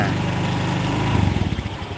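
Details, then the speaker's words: Honda Vario 150 fuel-injected scooter that bogs on throttle, idling with throttle position sensor data being checked: slow, lumpy idle whose firing pulses spread out and falter; idle rpm too low, corrected by opening the air screw. "Nah kan meninggi itu sistem otomatis nah ini kekecilan rpm nya cara ngaturnya di air screwnya air sekrupnya buka itu setelan udara nih"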